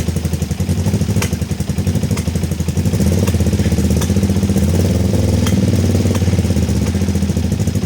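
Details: Kawasaki ER-5 twin, stored 2–3 years and previously dying at full throttle, idling cold on a weak 10 V battery just after carb refit with new fuel-inlet O-rings: lumpy, unsteady idle with irregular ticks and surging beat; uneven running, cause suspected, not confirmed.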